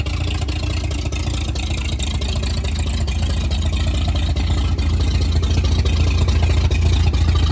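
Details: 1938 Chevy Master Deluxe six, chilly Alaska September, with rebuilt carburetor and starter from a 1942 G506: low, steady chug at an even beat with no knocking or ticking; runs very well, normal idle.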